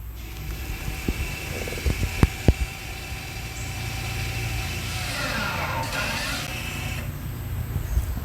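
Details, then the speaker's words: Audi C7 3.0T rear electronic parking brake re-engaging via VCDS/OBD11 basic settings after rear rotor and pad replacement: motor whirs, rises, then cuts off cleanly; normal operation. "Press and hold the check button, and you will hear the parking brake re-engage."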